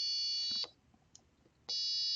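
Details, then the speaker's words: Four-button analog-input piezo tone circuit with two buttons pressed together: a steady high tone cuts off and returns as one single note, with no second pitch mixed in. "only going to hear one notes okay not a multiple notes"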